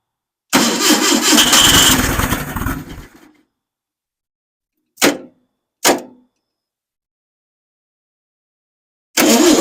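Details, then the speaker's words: First start of a freshly rebuilt engine, hot-wired after fixing swapped plug wires, with the choke wide open and probably needing adjustment. It catches with a roar for a couple of seconds, dies, then coughs twice and fires again. The intermittent firing is suspected to be a fuel issue. "That was kind of exciting. It did fire. A couple good fires out of it."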